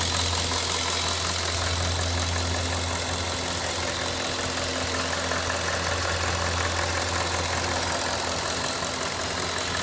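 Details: Cadillac Northstar 4.6 V8 at hot idle: smooth even idle with faint light clicking underneath; intermittent clicking occurs only when hot, source unclear.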